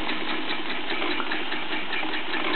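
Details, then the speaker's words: Bowman M101 stationary steam engine, first steaming since major refurbishment (Nov 2008): steady, even chuffing of the big long-stroke piston over soft countershaft whir, no knocks or labouring; normal running. "And it's just chuffing along quite nicely. It's a lovely characteristic sound. You can hear the whirring of the counter shaft and just the chuffing of that big long stroke piston."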